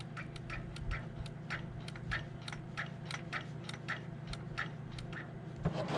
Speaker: And I'm hoping that clicking noise I'm hearing is the dogs on the pull start and not the bottom end on this thing.